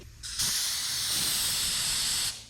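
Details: Small shop air compressor set a little over 90 psi: a sharp, steady high hiss for about two seconds with no engine behind it, pressurized air escaping from a leaking line.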